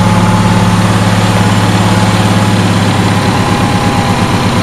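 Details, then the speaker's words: Two-cylinder Onan engine after fixing a loose spark plug that cost compression on the fuel-pump-side cylinder: both cylinders firing with a steady, even low beat, no misses; running normally. "so yeah it's it's running again it's now on the running side of the what runs report"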